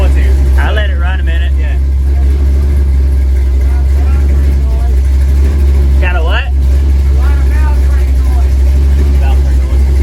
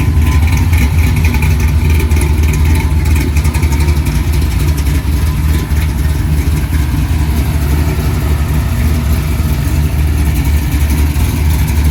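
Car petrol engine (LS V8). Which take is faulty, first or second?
first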